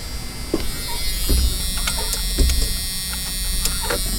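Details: 1988 Jeep Cherokee XJ rear hatch washer pump, after cleaning and reseating an old connector with contact cleaner: small electric pump buzzes steadily under handling clicks, running evenly without stalling; rear washer motor now works normally.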